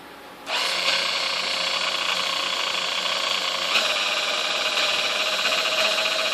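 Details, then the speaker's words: Sunbeam Mixmaster model 1-7A (235 W) before service: high buzzing motor whir wavers and surges in pitch on the lower half of the speed dial; it struggles at low speeds and was fixed by replacing the speed-control resistor. "all right now you can definitely hear some issues there at the lower half of the speed dial"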